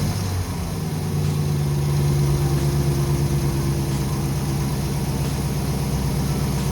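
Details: 2019 Dodge Charger RT 5.7 Hemi V8 with newly installed JLT cold air intake, couple of revs; deep, steady rumble swelling with blips and a loud vacuum-like intake rush; normal revving with cold air intake.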